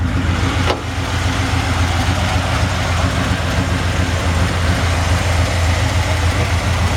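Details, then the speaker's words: 1964 Chevrolet C10 Custom Cab pickup with V8, recently replaced starter: deep, steady idle burble, even beat, no ticks, stumbles or misses; healthy engine. "I'm gonna be quiet there for a second let you hear the motor run"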